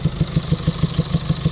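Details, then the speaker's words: Mercedes Vito taxi diesel with ongoing DPF and EGR faults (P300A7A low-pressure EGR flow too low after new part) idling with heavy even puffs, exhaust gas chuffing back out the inlet; cause suspected, not confirmed. "it sounds like it's it's uh producing exhaust gases coming back out from the inlet manifold get that distinctive sound where you can hear exhaust gas coming outwards of the inlet the air"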